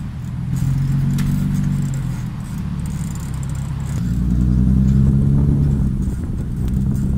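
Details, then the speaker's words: Nissan 370Z driving on the road: a low droning hum swells and fades with speed and shakes the whole car as it goes faster. Worn wheel bearing, with the wheel visibly loose when jacked up. "Yep. That is definitely my bushings, or my bearings. And when I go faster, they start shaking the entire car."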